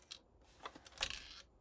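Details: Akai Force during repair of linear voltage regulators for ±15V rails; quiet, brief tinny rattles and clinks as the unit is tipped: loose object rattling inside casing.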